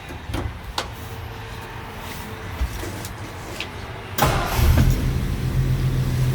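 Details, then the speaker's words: 1964 Ford F100 automatic, started without touching the gas pedal; brief crank, catches at once and settles into an even, low rumbling idle; a healthy cold start. "no gas pedal needed fire's right up it runs nice and smooth"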